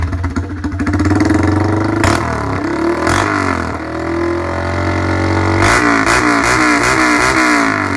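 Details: Honda MSX125 motocross build, start and quick revs: loud, raspy bare bark from the open exhaust with the end tip removed.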